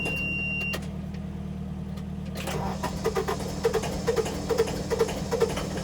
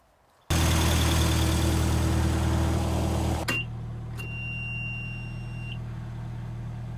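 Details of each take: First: Tractor finally started after three hours of cranking and some ether, being readied to rake a rained-on hay field; steady low diesel thrum with an even, unhurried beat, no misses; normal idle, left running for a bit. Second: Hay-baling tractor with a weak battery: slow, labored crank of about four turns a second that never fires, then beeps. The weak battery drags the starter; it needs jumper cables.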